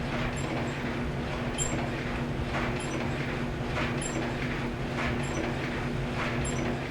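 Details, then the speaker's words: GE DCVH515EF0WW dryer running: low tumbling rumble with a thin, high squeak once per drum turn, caused by a worn upper bearing (WE14M124); the customer complained of squeaking, so the dryer is to be torn down. "so every time that drum's coming around it's squeaking somewhere so what we're going to do is tear it down and uh see what we're looking at"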